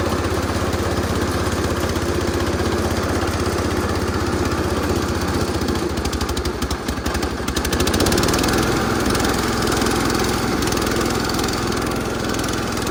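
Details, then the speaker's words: Massey Ferguson 16 garden tractor with old Kohler single-cylinder engine, revived after sitting since about 2013 and fitted with a replacement aftermarket ignition (33-393): steady, even thumping with a slight speed change midway; running healthy. "This is awesome. These old Kohlers, man, you really can't kill them."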